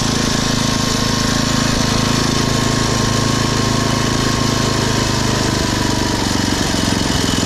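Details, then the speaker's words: Poulan/Weed Eater VIP garden tiller, 5 HP Briggs & Stratton single-cylinder, 15+ years old, after tune-up (new plug, air filter, oil, mixture-screw adjustment), throttled down to idle: even quick putter at low steady speed, no surging; normal idle. "and listen to that engine idle down running great that's how a 5 horsepower brakes and striding engine shuts down"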